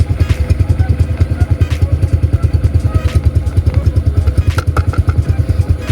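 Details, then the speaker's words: Honda Supra 125 motorcycle: quiet at idle, but on light throttle a steady low thumping about 2.5 beats a second with faint clatter from the rear; vibration worsened after disassembly, cause suspected, not confirmed. "Nah ini betul nggak kedengeran ya, dan belakang pun nggak kedengeran guys. Tapi kalau kita gas sedikit coba ya. Nah cuma di belakang teman-teman ya, seperti apa penyakit yang kemarin."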